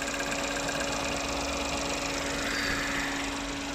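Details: 2017 Ford Fiesta 1.0 EcoBoost at idle with oil filler cap removed: soft, regular puffing/popping from the open filler; dealer confirmed normal, same on a new 1.0 EcoBoost. Engine and car run fine.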